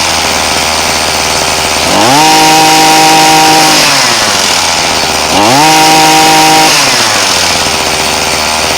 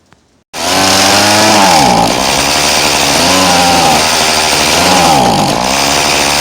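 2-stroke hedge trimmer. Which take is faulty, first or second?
second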